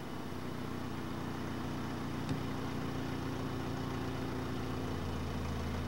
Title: 1985 1/2 Mercury Lynx Misfire